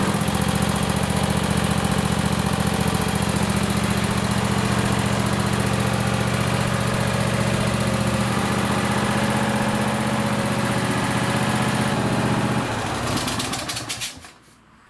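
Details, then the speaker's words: Craftsman lawn tractor with a Kohler Courage 26 hp V-twin, after installing a coil conversion kit for running on one cylinder: even, steady low thrum with no misses or knocks. Normal running after repair. "after you put the cover on just start it up again just to make sure that everything's okay"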